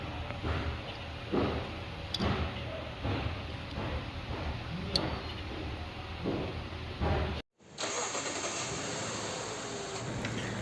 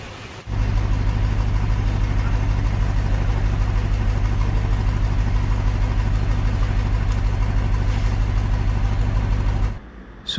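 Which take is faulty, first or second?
second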